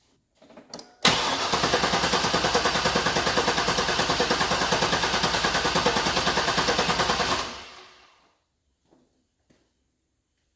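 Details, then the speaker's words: Chevy Silverado 1500 with swapped-in 5.3 from a 2000–2001 Tahoe, compression check on misfiring cylinder 3: even cranking about three beats a second, no firing, gauge reads about 150 psi; normal cranking, good compression. "see I'm I'm seeing about 150 so I think that's pretty good"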